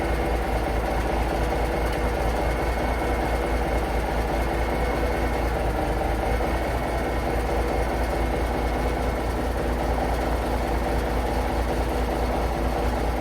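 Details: International Paystar diesel idling after the radiator rebuild with new gaskets; smooth even low thrum, no knocks or misses, air pressure building to about 70 lb, running beautifully, no leaks; normal idle.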